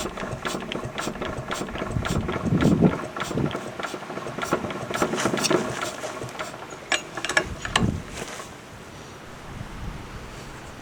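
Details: Fairbanks Morse Model Z Style D single-cylinder stationary engine running after head-off inspection showing a machined cylinder, hardened valve seats and lapped valves; slow, uneven firing pops over wind noise, with no knocks or rattles, sounding healthy.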